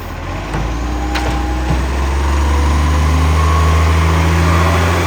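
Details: 2010 Tea Tree Gully garbage truck, diesel under load: heavy rumble with loud, raw chuffing, harsher than a sealed exhaust; exhaust leak.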